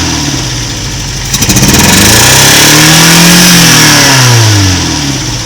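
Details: MK1 Toyota MR2 idling very shaky with an uneven beat, codes 4 and 6 stored; a cylinder seems dead, injector resistance reads 3.6–4 ohms against a 1.5–3 ohm spec, no vacuum leaks found so far; rough idle with an odd sound.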